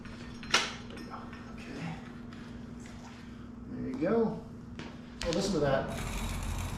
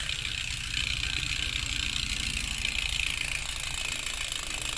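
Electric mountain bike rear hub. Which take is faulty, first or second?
first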